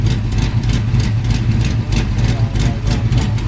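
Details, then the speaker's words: Mustang, first start after about a year and a half sitting: deep, steady idle with sharp puffing ticks on each firing pulse from underneath; suspected header or exhaust gasket leak. "Also sounds like on the bottom you might have a header gas like a uh uh for your gasket for your exhaust. It might be leaking."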